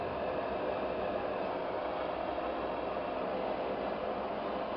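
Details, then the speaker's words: Lubricant test rig, ball on roller under increased load: steady even hiss of loaded rubbing, no knocks; oil film breaking down, part heating, heavy metal deposit and marks on the ball. "on le met en charge mais on commence déjà à échauffer au niveau de la pièce"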